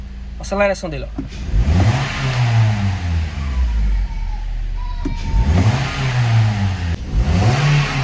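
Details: Toyota Corolla after fault codes cleared, check engine light off, engine revved: clean repeated blips rising and falling smoothly without stumbling or cutting out; previously weak, cutting out and misfiring.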